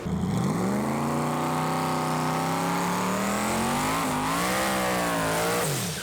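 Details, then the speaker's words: Boosted, Haltech-tuned drag car at full throttle down the track at about 170 mph: pitch climbs through the gears with a slightly ragged note. The engine is running on seven cylinders, misfiring again. "It's on 7 cylinders again. It was on 7 cylinders going down the track."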